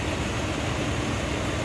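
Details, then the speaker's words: 1991 Cadillac Brougham d'Elegance, stock 5.7 L V8, 29,463 miles, idling, heard in the engine bay. A steady, deep, even rumble with no skips, ticks or knocks; normal smooth idle. "Like I said, stock, just what you'd expect. Here, how smooth that 5.7 liter runs."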